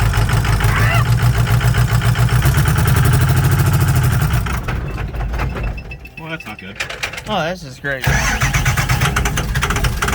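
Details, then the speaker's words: 6.0 Powerstroke turbo diesel swapped into a Mustang, first drive: long cranking with an uneven starter rhythm, the diesel barely catches and won't settle into a run; it just doesn't want to start, cause not yet found. "see that's the issue is it it just doesn't want to start after i get it"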